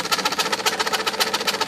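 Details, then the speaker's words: IBM Selectric II correcting typewriter turned with the cycle tool, covers off: motor runs with a quick uneven thumping clatter about eight times a second, labouring; cracks in the centre hub make it bind. "This machine has seen better days. So there's a crack in that hub, and it's right there."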